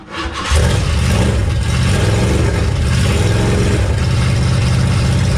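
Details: Mustang crate V8 after fixing an intake manifold gasket leak (manifold left untightened; head bolts OK), in an enclosed garage: quick start, then a loud, even exhaust burble settling to a steady idle with no ticks or hiss; sounds pretty good.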